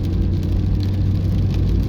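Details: Chery Tiggo 2 Pro at 24,000 km, driving after warranty repair: steady road rumble and tyre hum with no front-end knocks. A light knock had appeared over tram crossings; tie rod ends replaced and alignment done; owner thought it was probably a strut.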